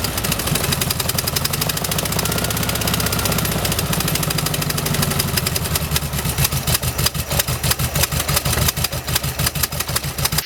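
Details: 1971 VW bus after carburetor replacement, timing about 4 degrees out: uneven lumpy idle stumbling like a misfire; owner suspects plugs and wires may be due, cause not confirmed.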